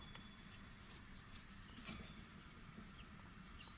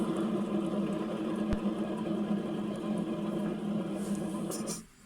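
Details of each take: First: Atco GT30 ride-on mower deck, blade spindle (mandrel) turned by hand runs very quietly with only faint light ticks: a healthy bearing, smooth and quiet as it should be. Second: Atco GT30 ride-on mower deck spindle (mandrel) turned by hand gives a rough, gritty whirr instead of smooth and quiet; its bearings are on the way out, so the spindle assembly is replaced.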